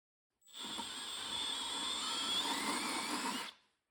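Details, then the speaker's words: Drilling out aluminum Nissan wheels on a 1997 Toyota RAV4 with a 60-degree bit for Toyota lug nuts, bit held perfectly straight and pushed down hard: even, high-pitched whir held steady without chatter, cutting smoothly. "It's important to hold the drill bit perfectly straight and push down hard. That looks better."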